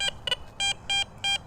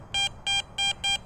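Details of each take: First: Garrett Vortex VX9 metal detector in standard multi-frequency with the large stock coil, in a park littered with bottle caps: short, choppy, uneven high beeps about every third of a second, the jumpy trash signal typical of bottle caps. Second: Garrett Vortex VX9 metal detector with the large stock coil in a park full of bottle caps: crisp, high, steady beeps, five even bursts about three a second over faint hiss; a good clean target signal, not trash chatter.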